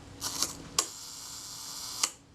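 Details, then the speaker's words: Kodak Retina II shutter being serviced, tested at the 1 s setting: cocking clicks, then open and close clicks about 1.25 s apart; the 1 s speed is possibly slightly slow. "you seem to look slow what's in oh that's one second around there"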